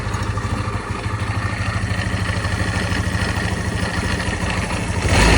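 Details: SYM GY6 125cc scooter idling with a steady low chuff and a faint irregular clatter on top; the noise disappears when the bike is tilted, source unknown.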